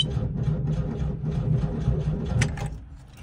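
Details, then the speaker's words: 1979 Volkswagen Type 2 bus, fuel-injected engine that leaks oil: starter turns the engine about four beats a second with no catch; almost started, cranks but won't start, owner suspects low fuel. "oh man that almost started okay well I'm going to go to the gas station and get some more gas for this thing maybe I can get this thing fired up"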